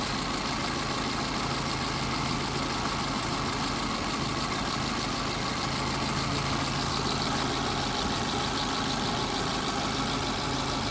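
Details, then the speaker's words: Hyundai Getz after a general overhaul, with its damaged, loose sprocket fixed and compression at 120–130: a steady, even idle with a smooth low hum and no knock or misfire. The engine sounds healthy. "So ayun guys ah okay na yung ano na natin hyundai gats na general overhaul"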